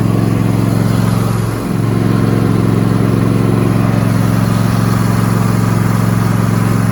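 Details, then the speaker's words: Cub Cadet riding lawnmower running after fuel filter replacement: steady, strong hum with even low drone, brief pitch dip near two seconds, then smooth and constant; engine runs properly. "And we'll go ahead and fire it up. Make sure it runs right."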